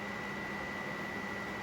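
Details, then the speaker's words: 1996 Polaris Magnum 425 4x4 project ATV, suspected past overheating, powered by booster box with key on: cooling fan runs flat out with a constant whooshing hum and thin steady whine, not letting up. "That fan is ripping, dude. Yeah, it is."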